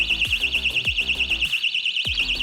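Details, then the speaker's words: Ox-Lock anti-theft trailer hitch lock, armed and tampered with after the warning beep: loud shrill tone warbling up and down about six times a second without pause; anti-theft siren sounding, shut off with the key. "If anybody messes with this here, you hear the beep again, and here comes the siren."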